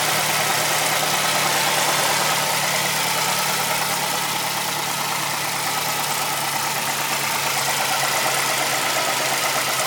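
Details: Mazdaspeed3 petrol engine idling with a loose, irregular knock of about four beats a second under a hissy top end. The timing chain is known to be loose; the owner wonders about rod knock, valves, injectors, lifters or cams and hopes it is the chain.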